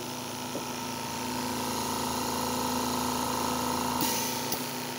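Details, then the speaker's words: Stratus OTS-5 oxygen concentrator after its faulty compressor was replaced with a new zero-hour unit: steady, even mid-pitched compressor hum with only faint soft ticks. PSA process active, drawing about 3 A, oxygen about 90%. Running smoothly. "Así que encendamos en concentrador Ya está trabajando nuestro compresor y ahora ya hay proceso psa veamos excelente"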